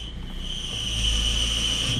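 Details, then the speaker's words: Peugeot/Citroën Berlingo 1.6 HDi diesel at idle: a steady high-pitched squeal rides over the engine and stays constant with the clutch pedal pressed, unusually louder when pressed than released; worn clutch release bearing, before clutch replacement. "D'habitude, c'est quand tu bray que tu entends plus la butée, mais là, c'est quand tu appuies."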